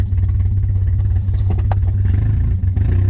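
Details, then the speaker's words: Miata at idle and revving with straight pipes, after front oil leak fixed: deep rapid knocking under the engine that follows the throttle; worn rod bearing, definite rod knock. "yeah i'm i'm 100 sure actually this thing has got rod knock pretty bad"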